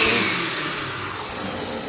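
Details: Blender after repair, which previously made a bizarre noise and smelled of burning: steady, airy high-pitched whir from the motor running smoothly, with no rattle or scraping.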